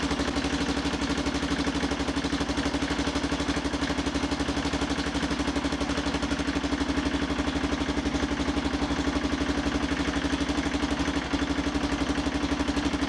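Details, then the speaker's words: Motorcycle idling during MoT prep, checking a silencer that tends to open up at its rivets: steady idle with a sharp puffing chuff about four times a second over the exhaust note, an exhaust leak at the silencer rivets needing work. "While I'm here though, I'll see if it leaks. This silencer's got a habit of opening up a bit where these rivets are, so I may redo that as well."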